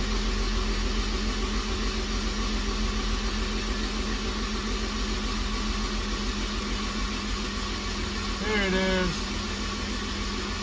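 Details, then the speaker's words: Honda S2000 with a 2.4 engine and freshly replaced rod bearings, cranked with spark plugs removed to build oil pressure before start: an even, steady rhythm of about 3.5 beats a second, no knocks or scrapes. Oil pressure is showing, fuel pressure likely. "so we're just going to go ahead and turn it over as you can see my old pressure is right there think we got fuel pressure motor sounds"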